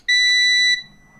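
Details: School bus (skoolie) instrument-cluster low air pressure warning buzzer: a loud, steady high-pitched buzz of about two-thirds of a second, then stopping.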